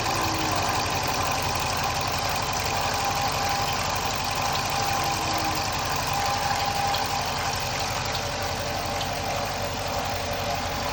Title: 2015 Dodge Charger chirp noise